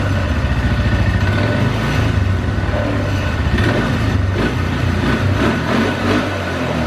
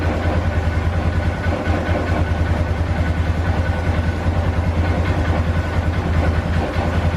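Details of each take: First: 2012 Polaris Sportsman 400 HO carbureted ATV starts and idles fine but sputters, sags and cuts out and dies at certain throttle responses or when the throttle is released; carburetor suspected gummed up, and intake-to-carb boot found cracked. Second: 2012 Polaris Sportsman 400 HO that bogged down and died, after idle fix: settles into steady even idle with regular low thump, no stumbling or dying; normal idle.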